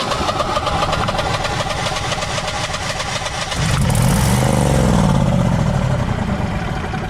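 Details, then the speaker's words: Generac Guardian 16kW standby generator, refurbished after battery explosion, manual start: cranks, catches, revs surge unevenly and it dies, not out of gas; controller then shows "no RPM sense" error. Engine stalls after starting. "'s being shut off that's not running out of gas that's dying so I'll wait for it to pop this error one or two more times"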